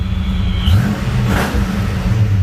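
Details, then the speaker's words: Supercharged Fox-body Mustang after torquing down the loose upper intake: deep, even idle with a brief blip, settling steady with vacuum restored; stable healthy idle, runs great. "So we're back up and running. Car seems like it runs great."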